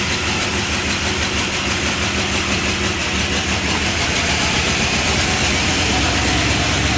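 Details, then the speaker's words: 1978 Chrysler Newport after fuel pump replacement, long sitting: unsteady idle with a fast light ticking chatter at about three per second. Idles poorly and dies when put in gear; lifter clatter, owner suspects old junky oil. "Well, cool. It sounds good other than that chatter. Dies when you put it in gear. Well, it's not idling real well."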